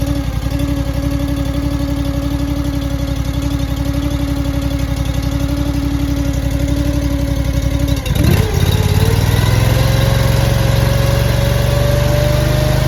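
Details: Honda iGX800 EFI engine on a Wolfe Ridge 35 SHO log splitter after replacing parts; a strong, even low thump at idle, a brief stumble, then it settles back into a smooth run.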